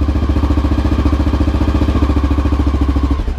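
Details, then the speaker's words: 2000 Honda XR650L big single idling while warming up at about 40–45°F on its first start after a TM40-6 carb replaced the OEM carb; steady, even thumping with firm regular pulses, no misses or clatter; normal warm-up idle, idle still to be adjusted. "alright let it warm up a little bit but then I'm going to take it for a test ride just to see if it's more responsive than the OEM carb which I'm sure it will be"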